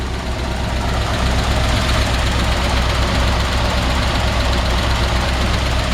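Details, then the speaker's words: 1953 Ford F-100 flathead V8, cold with choke pulled and idling slightly high: steady, even low rumble with no knocks or misses, a healthy-sounding engine. "Nice healthy sounding flathead V8. And it was a little cold. I pulled the choke. So, maybe a touch over choked right now or over over uh There we go. over idled just a hair."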